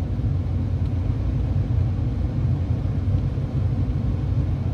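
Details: Komatsu PC400LC-8R excavator, low power: steady heavy diesel rumble stuck at a 1700 rpm high idle. The fuel control dial sends only 67% instead of 100% signal to the ECU.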